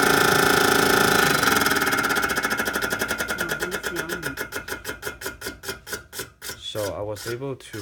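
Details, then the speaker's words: Tatsumaki TA-S18 range hood: rhythmic scraping once per turn, slowing as the fan wheel coasts down; the wheel was assembled too close to the housing and grinds the rear metal plate. "they put the fan right there the Fed wheel too close to the housing and causes it to grinds on the metal plate in the back"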